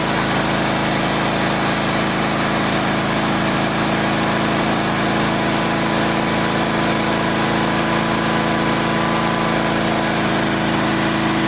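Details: Old Onan engine just after replacing points and condenser, started at half throttle: steady, even drone with no stumbles, popping or arcing; running cleanly, carburetor still needs fine-tuning.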